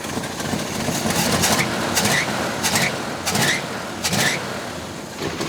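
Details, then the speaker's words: 1971 Plymouth Roadrunner, unused 35 years, timing just reset after being too advanced: lumpy, uneven idle with loud puffs about every two-thirds of a second and a hesitant beat; still running lazy and rough. "still seems a little lazy but it's all over the place"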